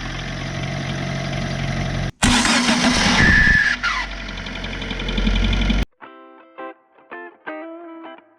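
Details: Fiat Seicento starter motor before cleaning: harsh, gritty whirring grind for a few seconds while cranking; noisy dirty starter, fixed at no cost by cleaning it.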